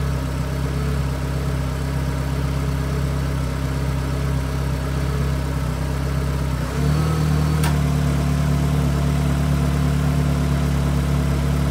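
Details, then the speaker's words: Peugeot 106 S16 idling with the engine running while the AC is recharged after being found empty; the note drops and deepens as load comes on, then a sharp click, the AC compressor clutch engaging normally. "avez pu entendre avec le petit clic que la clim démarre c'est signe"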